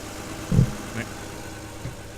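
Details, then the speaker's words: 1992 Acura NSX, pre-purchase inspection, engine running a few minutes with a clean engine bay. Checked with a stethoscope at the key engine points: smooth, even low idle with no knocking, ticking or bearing-failure signs. Healthy normal idle. "I hit the key points of the of the engine and I hear any hear any abnormal noises or like signs of bearing failure so that all sounds good"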